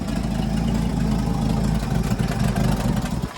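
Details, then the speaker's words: Junkyard Ford F100 truck started after sitting six weeks, during brake repair: engine catches and idles with low uneven rumble, then sags and dies out, but refires right up; stalling shortly after start. "oh it died out but oh fired right up"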